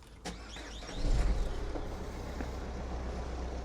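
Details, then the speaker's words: Diesel car, rough idle with the whole car vibrating heavily: the engine catches, then settles into a deep, lumpy rumble with an uneven pulse. "Don't know if if that's picking up, but the whole car is vibrating quite heavily, but you'd think if it was injectors, then it would come up."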